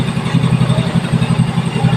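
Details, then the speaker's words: Yamaha Mio Soul i after installing a new cam chain tensioner: steady, even low putter at idle with no rattle or slapping, noise fixed and running healthy. "Ayan na naandar na yung makina niya no Ayan na napakatahimik na wala ng ingay na lagapak"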